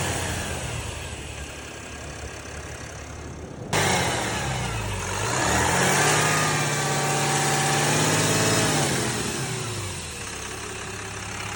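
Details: 2022 Ram 3500 idling: a steady hiss sits over the engine and persists as revs rise and fall; cause unknown.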